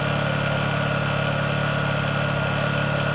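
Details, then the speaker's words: Honda EU2000i inverter generator powering a Roadtrek RV, eco throttle off, choke on, before 10,000 BTU air conditioner load starts: smooth, even hum at constant pitch with no knocks or surging; running normally. "as you can hear the air conditioner just started now once it's started I turn the echo throttle on and the generator will sit there and uh operate uh just above idle"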